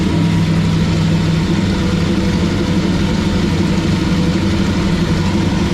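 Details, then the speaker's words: 1966 Mustang carbureted engine, first startup in 40 years: runs steady and fairly even but at fast idle, rather smoky; carburetor idle speed too high, owner needs to learn to adjust it. "I got to say with the exception of an idland high it don't really sound horrible just got to figure out how to adjust the idle"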